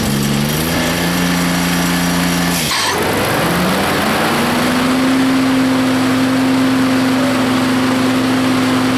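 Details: Rebuilt Grasshopper 721 mower, straight three-cylinder Kubota gasoline engine (cleaned carburetor, new fuel pump, plugs, air filter): drone dips in pitch as blades engage, then climbs back to an even note; runs smoothly under load, though owner says it bogs in tall grass.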